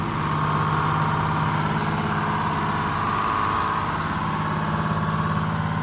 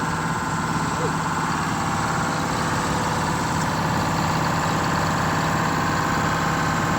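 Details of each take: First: Detroit Diesel 6-71 in a 70-year-old 4104 bus, first run before injector replacement: loud two-stroke clatter with speed drifting up and down, won't hold idle or return to idle because injectors were sticking and binding. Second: Detroit Diesel 6-71 two-stroke in a 70-year-old 4104 bus, first run after replacing the fuel pump and two sticking injectors: steady, even drone at a slightly raised idle, no misses or knocks; firing on all cylinders, normal fast idle.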